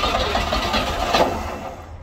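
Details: 1960 Grumman Olson Kurbside step van, 235 engine unstarted since 1992, cold (30s°F), external fuel tank plus starting fluid: starter churns steadily in even rhythm but never catches; owner thinks it flooded, and one spark plug wire was left off.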